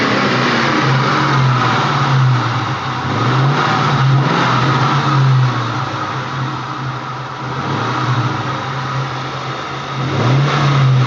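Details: Ford Mustang Bullitt V8 revving up and down, then a loud steady low drone cuts in for about two seconds; the noise comes and goes randomly and its source is unknown.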